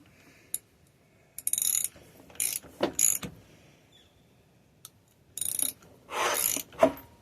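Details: Mid-1980s Yamaha YFM200 Moto-4 quad, first start attempt, rusty spark plug, reportedly running when last shut off: short harsh grinding bursts stopping dead; engine binds like seized, suspected hitting a valve, breaks loose after some fight.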